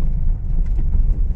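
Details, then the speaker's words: Honda Mobilio on an unpaved, potholed village road after the loose stabilizer link was tightened. Only a steady low road rumble is heard, with no clunks or knocks. The suspension is quiet. "Ya sudah nyaman ya Bro Ya sudah enggak ada bunyi belatak-gelatak di kaki-kaki"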